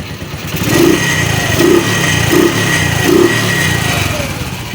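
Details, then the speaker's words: Secondhand CT100 motorcycle after a repair for lost compression and hard morning starts, with a new piston kit, timing chain, chain guide, stator and pulser: starts on one click and idles quietly, small single ticking with gentle throttle swells, no knocks, healthy. "So goods na itong kanyang CT100 na badya. So tahimik na."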